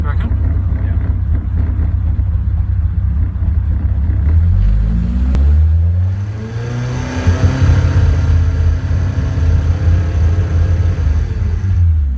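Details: 182 with OMEX: low, lumpy exhaust beat stumbling unevenly as the revs climb and fall; engine misfire while revving.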